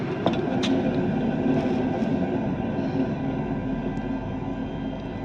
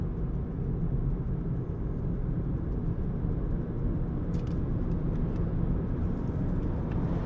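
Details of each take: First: Renault Zoe (2019–2024) wound-rotor traction motor with rotor removed and spun by hand: rough gritty rumble slowly fading from the worn lower bearing; the other bearing is much quieter. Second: Renault Zoe second generation (air-cooled motor) on a test drive after repair of a motor-noise complaint: only road and tyre rumble, with no whine or bearing growl; normal electric drive.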